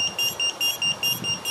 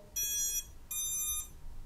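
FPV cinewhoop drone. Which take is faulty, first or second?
first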